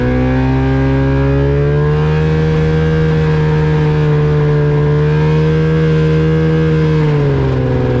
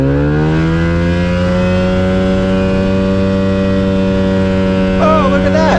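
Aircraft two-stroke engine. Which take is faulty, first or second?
first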